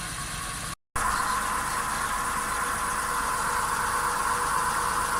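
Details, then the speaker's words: Volkswagen Polo Sedan on original Kama tires, raised right front wheel spinning in gear: steady droning hum with a faint tone near 1 kHz, clearly audible inside the cabin but barely outside; worn right front wheel bearing (flagged at inspection), needs replacement (SKF VKBA 3569). "Да, подшипник действительно гудит. Звук отчетливо слышен. Поэтому его необходимо заменить."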